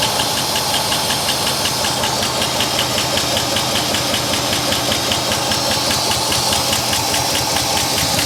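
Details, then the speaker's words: 1963 Oldsmobile 98 V8 revived after sitting for years in the dirt, running while oil circulates to the valves: even steady idle with light top-end patter, no misses; runs smoothly, like a sewing machine. "like a freaking sewing machine"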